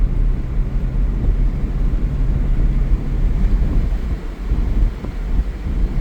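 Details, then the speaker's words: Toyota Tundra V8 with stock exhaust, accelerating onto the highway with windows down: deep, even rumble builds steadily under throttle with wind rush over it, no misses or knocks; normal healthy engine. "I love driving this truck with the windows down. I don't have an aftermarket exhaust, but this thing sounds good regardless."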